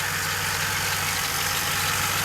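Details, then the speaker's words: DeLorean VIN 10719, essentially stock, after a freezing cold start that needs throttle to start: once warm it settles into an even, steady idle with no knocks or misses; runs fine warm, cold start problem remains. "sets down fairly well and there doesn't seem to be many problems"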